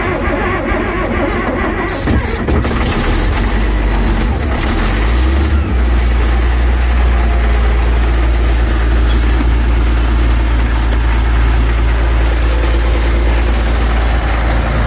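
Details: Diesel engine cranks on starting spray from cold and catches, settling into a steady, deep, even idle while warming up with no knocks; a slight exhaust manifold leak (one stud broken) is present.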